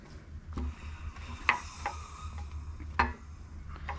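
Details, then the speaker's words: Jeep WJ Grand Cherokee 4.7L V8 on teardown, crank turned by hand: sharp metallic clunks every second or two from a connecting rod with no bearing left in it. "that's the bearing that's the cornrow that's got no bearing left in it"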